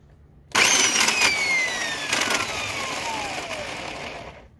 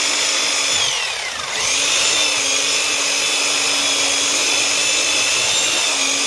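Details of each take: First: Old Black and Decker U-144 belt sander switched on: a harsh, gritty grinding over a falling motor whine that fades as it winds down. Owner suspects the gearbox lacks grease. Cause unconfirmed. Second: Old Black and Decker U-144 belt sander after repairing damaged gears that caused loud grinding, running with a homemade cut-down belt: steady high-pitched motor and belt whir with no grinding; it is running properly.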